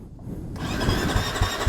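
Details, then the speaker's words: Husqvarna FC250 that wouldn't start a day after a ride: starter spins with even compression pulses about four a second but never fires; fuel pump later confirmed bad; no start from failed fuel pump. "absolute Beast of a machine but right now it won't dominate a single thing why because it turns over but that's not fire"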